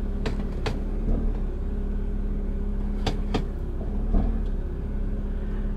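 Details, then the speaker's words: 1998 BMW Z3 2.8L, garage shifts reverse to drive at idle: a few dull thumps over a steady low idle. The worn rear differential bushing lets the diff flex about an inch; the bushing is to be replaced. "and there's a audible clunk with that as well so say you're backing out of your driveway and then going into drive there's a pretty good clunk when that happens"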